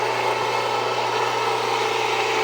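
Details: Jiffy Precision Mill, US-made electric steel burr grain grinder, grinding grain at a slightly backed-off setting; steady even motor hum with fine grinding hiss, no labouring, squeal or knocking; mill warm but not hot after; normal grinding.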